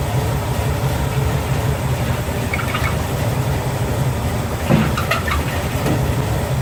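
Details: Chevy Nova V8 idling to warm up after a power steering install with a new belt: deep, steady burble with no knocks, squeals or belt chirp; no leaks; normal idle.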